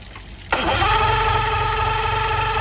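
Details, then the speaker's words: Marketplace boat motor, compression about 100-110 on all cylinders, line leaking, first start attempt: starter engages sharply then steady whirr with no firing; cranks but won't start, owner suspects not firing. "So, I don't know what that's about. It has good compression. Sound like maybe it's not firing."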